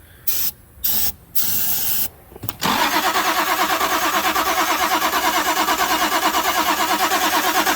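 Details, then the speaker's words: Toyota Supra after sitting since 1995, plugs out, spritz of fluid then spark-tester check: even cranking about three beats a second never catching; no spark, ground okay. "All right, no dice. No spark. Ground looks okay. We got no fire, guys."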